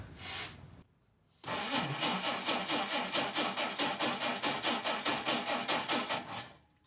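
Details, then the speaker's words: 1959 Plymouth Suburban barn find, long-sitting, gas poured down the carb: steady rhythmic cranking about two and a half turns a second that never fires; won't start, owner suspects ignition points, which he then addresses. "i think we may need to address the point hello point well that didn't work"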